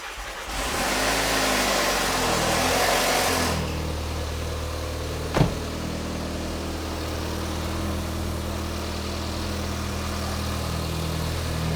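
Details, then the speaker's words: VW Mk5 2.0T FSI EA113 with a straight pipe, first start after an oil pump drive chain repair with all the oil drained: a loud clattering racket until oil pressure builds, then it quiets to a smooth, quiet idle. "Well, it made an awful racket till the oil pressure built up. Once it had oil pressure though, it quieted right down."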